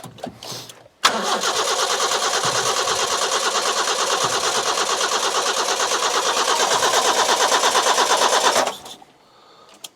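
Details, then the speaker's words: Petrol carburettor engine with coil and distributor, fuel poured into carburettor float overflow: steady starter cranking about three turns a second for seven seconds, never fires; crank no start, owner suspects lacking spark. "I think we might be lacking in the sparks, you know."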